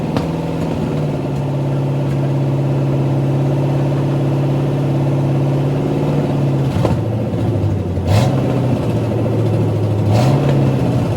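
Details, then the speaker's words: 1985 Mustang GT factory 5.0 302 V8, likely with the stock cam, first start in over 20 years: strong, even idle with clean rev blips and a smooth return, no valve train noise, and a little smoke from the headers. "A little 302 cranks up and runs. It sounded just fine. I didn't hear any valve train noise from up here."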